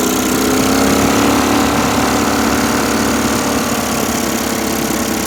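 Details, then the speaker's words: Briggs & Stratton Vanguard V-twin dual-carb mud boat motor (Mud Buddy), freshly rebuilt after flat cam, cylinder two richened: steady even drone at light throttle, no misses or hunting; running much better though still rich quarter to three-quarter throttle. "he is running much better we're still pretty damn fat when it's on the needle"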